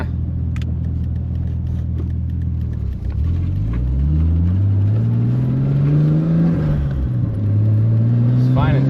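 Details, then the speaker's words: Nissan 240SX with RB25 after ignition coil pack install, test drive: engine pulls and climbs, then goes flat and bogs as soon as it gets on boost; misfire under boost, fine at idle, owner wonders about a fouled O2 sensor. "well yeah see as soon as we get on the Boost you can hear it like sounds like it's firing away"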